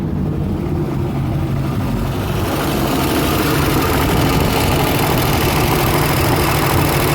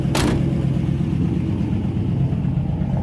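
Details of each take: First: 1955 Ford V8 idling with a steady, even low rumble, no skips or stumbles. Normal idle after replacing a bad spark plug wire that caused a misfire. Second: 1955 Ford V8, hot, choke half out for raised rpm: uneven lumpy idle, one cylinder skipping; misfire traced to a bad spark plug wire.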